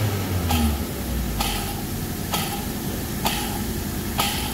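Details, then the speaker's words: Car with a gritty growl and a sharp click about once a second when the clutch is pressed, with vibration that disappears on release. Cause: a worn, noisy clutch release bearing; the clutch disc was also thin and cracked and the pressure plate worn. "Nah, untuk pengalaman untuk kalian ya, jadi kalau pas saat di kopling dia terdapat getaran dan suara krak dilepas hilang, di kopling lagi suaranya seperti itu tadi, kemungkinan besar bisa dari ini, di drag lakernya."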